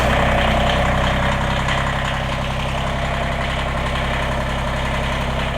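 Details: Kubota BX23S three-cylinder diesel tractor started after replacing both fuel filters and priming: even, steady idle chug with no misses, knocks or hunting; runs clean.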